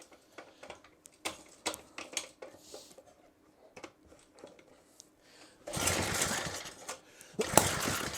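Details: Rototiller small engine reassembled after carb work, sticky clutch gasket soaked in WD40: quiet fiddling, then two hard recoil pulls with fast chuffing as it spins over but never catches; cranks, won't start.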